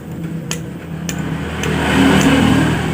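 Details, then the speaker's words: Yamaha Aerox scooter, connecting rod struck by hand: sharp metallic clacks, a loose "trek trek" rattle instead of the normal dull "deg deg", indicating play in the connecting rod big-end bearing. "Ayo kita pukul seperti ini ini cenderung Suaranya berisik"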